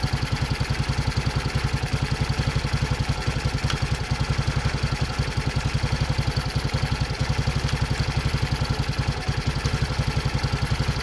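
Steady even single-cylinder idle thumping about four beats a second, no knocks or rattles, sounds healthy.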